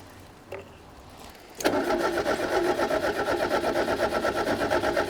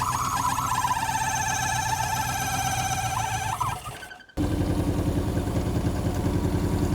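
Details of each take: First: Fiat 125, 1.6L twin-cam, points ignition, after years sitting; fuel poured into the carby: starter turns the engine over evenly, about three beats a second, never firing; no spark. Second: Fiat 125 barn find with a 1.6 L twin-cam four-cylinder, after the distributor, found 180 degrees out, was turned: it finally runs with a steady, even idle, consistent pulse and no stumble.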